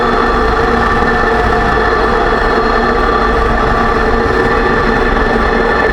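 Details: 2006 Range Rover Sport rear differential after rebuild for vibration and howling, all new bearings and races; constant high tonal whine over road rumble while driving. Owner suspects pinion preload set too high at 35 in-lbs, perhaps should be 20.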